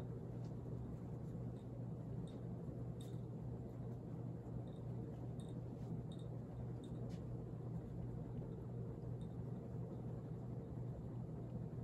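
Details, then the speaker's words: Rare late-1970s/early-80s ERS American Art Series ceiling fan at full power, its fastest speed: only a very faint steady low hum with soft room rumble, no buzz or wobble; it runs silent and healthy. "and it becomes silent on the full power as you can see and this is the fastest speed it goes which it now runs silent"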